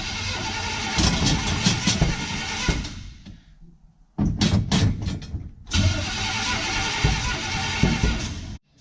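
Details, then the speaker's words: 1955 Chevy pickup, first start attempt after cranking for oil pressure: rough uneven cranking in bursts with backfiring pops and black smoke, never catching; distributor found completely loose, ignition timing off. "oh we've got some backfiring timing might be off I haven't even checked any of this stuff"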